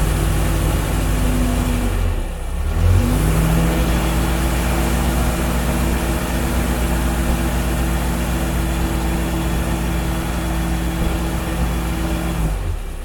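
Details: 1950s Standard 10 small petrol engine after fitting a complete stainless steel exhaust system: ticking over evenly with a smooth mellow exhaust note; sounds a lot better, healthy.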